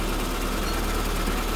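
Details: SPI Mini, petrol, warming up after cold start, coolant temperature rising, coolant and inlet air sensors reading properly, alternator at 13.9 V; even steady low rumble running slightly fast, no knocks or misses; normal warm-up idle.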